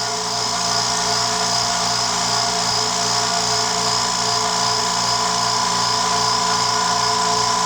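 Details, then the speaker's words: New California Air Tools quiet air compressor, just assembled, recorded about 2 feet away, filling toward shutoff: steady, even motor hum with a whirring high tone, no knocks or rattles; normal running. "I don't know if you can hear it, but I'm talking it kind of just in a normal voice to give you an idea what it sounds like. Doesn't take it long to fill up either."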